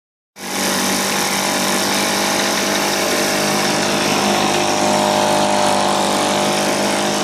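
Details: 1980 Johnson 2 hp two-stroke outboard running after a complete teardown and rebuild that fixed a stripped crankshaft and cracked coils. It fires right up and holds a steady, crisp buzz at constant speed, with no misses or rattles.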